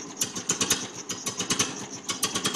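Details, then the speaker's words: 1950 Ferguson TO-20 tractor, rebuilt Marvel Schebler TSX-458 carburetor, main jet adjusted, new plugs; cold start attempted without choke gives uneven sputtering bursts that never settle: cold engine fails to start without choke. "But I won't start without the choke, which is a little weird. So, let's see if I can start it now without the choke."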